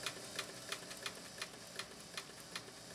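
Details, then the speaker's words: Scottish-made vintage Singer sewing machine, before servicing, with the bobbin winder engaged: sharp uneven clicks about three per second and a clunky, dragging, low-power run. "Does sound kind of clunky, doesn't it? Sounds like it was made in Great Britain, doesn't it?"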